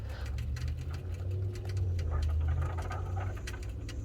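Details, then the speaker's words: 2017-2021 Ford F250 6.7L diesel after a fuel filter and water separator replacement, with the fuel system cycled before starting: low steady pump hum with irregular bubbling as air still bleeds out; cycle again until the bubbling stops. "so it's still bleeding out some air so you want to hear that so once you hear that you're going to do it one more time and then once you hear all that bubble noise go away we'll start it"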